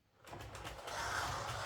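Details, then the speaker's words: Hornby Class 67 model locomotive during overhaul: a light, uneven scraping over the small motor's whir when rounding curves, worse in one direction. It oddly does not occur under load, and the rubbing cause is not yet found. "okay it's still making a bit of a scraping sound going around the curves um it's not too bad in this direction just very slightly but in this"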